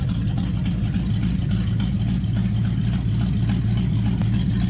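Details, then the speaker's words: 1969 Chrysler 300 at first start with a 440 V8 test-mule engine, exhaust not yet hooked up, running on open manifolds; loud, deep, even burble at steady idle with no knocks or misses; normal idle. "Can we just Can we just appreciate the sound this thing kind of has to it?"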